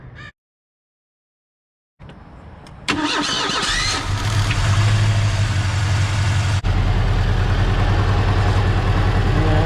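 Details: 1986 Ford Mustang SVO four-cylinder that developed a miss after new tires were fitted: starts and settles into an uneven low thrum with a faint stumble; spark at plug wire confirmed, owner suspects a bad fuel wiring connection; engine misfire.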